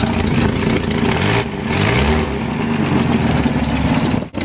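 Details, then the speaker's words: BMC Wolseley Farina 24/80 engine, freshly rebuilt, on its first start and running rough with a loud raspy blatting chuff on each firing. Exhaust is leaking at an ill-fitting muffler and sounds dreadful. "we're leaking out of here and it sounds absolutely dreadful"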